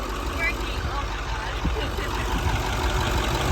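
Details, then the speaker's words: 1995 International school bus diesel, started with a little starting fluid: low steady rumble, no misses or knocks, holds an even idle once it catches. "It's all we needed. Little starting fluid. All right, let's get it home before it turns off."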